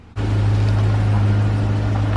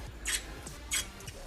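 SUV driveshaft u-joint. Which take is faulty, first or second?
second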